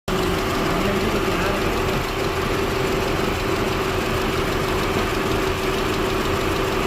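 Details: Audi A4 B8 petrol engine idling roughly, its low thrum stumbling unevenly from a cylinder 2 misfire.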